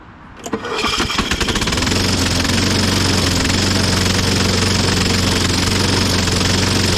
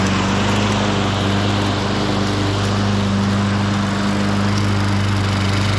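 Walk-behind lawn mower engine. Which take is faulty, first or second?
first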